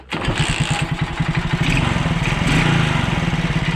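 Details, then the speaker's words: Alfa 110 moped, reassembled after a valve-like knock. Fires up into a quick, even putter with the heavy knock gone and only a faint unclear tick remaining. Mechanic suspects heavy cylinder wear and piston rock. "Стук [музыка] прошёл, ушёл. Что-то проскакивает, но это уже непонятно где."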